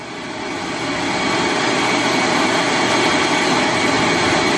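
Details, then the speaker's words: Power inverter running straight off a battery at 13.4 volts with no charger connected, fans on: steady rushing whoosh building over a couple seconds then holding even; running fine, no labouring. "now I'm going to turn the inverter on it is on you can hear it running [Music] fans are on now"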